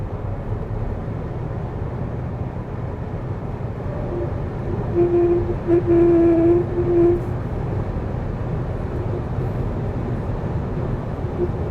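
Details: Lixiang car at 130–140 km/h in wet, windy weather, recorded in the cabin: low steady hum over road and wind noise, resonating into the pillar, suspected from a door seal; testing removed seal, air ducts also suspected.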